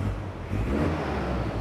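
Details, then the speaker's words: Toyota 2L-TE diesel in Hilux Surf fitted with 1KD-FTV CT16-V variable-geometry turbo, vanes opened to about 50–70% duty, no boost: clean free rev, deep even note, no whistle; breathes freely, normal. "so when I kind of free reev like that it feels um feels like it can breathe really well"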